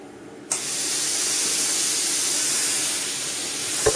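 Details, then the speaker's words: Plasma cutter with machine and air on: air suddenly rushes on with a loud steady hiss while the torch trigger is untouched, then stops; wiggling the lead switches it. A break in the torch switch wire is self-triggering the cutter. "It's on again. I haven't touched it. Off again. Again, not touching the thing at all."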